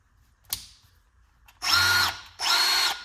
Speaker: between one and two I don't I feel like I I can't even hear a difference typically with power tools you will hear a difference